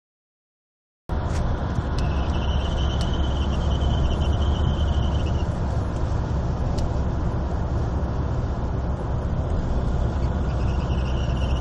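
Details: Mercedes W203 CDI diesel at idle with a thin, high chirp that comes and goes for several seconds; gone when accelerating while driving; cause unknown.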